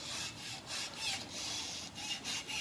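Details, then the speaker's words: 2012 Volkswagen Passat removed stabilizer bar rocked by hand: dry scratchy creaks in short bursts; joint has excessive play where a new one should stay tight, the source of the speed-bump creak; replaced with links. "원래 움직이면 안 되는데 이 유격이 많이 있는 거예요. 새 거는 이렇게 붙어 있어야 돼요."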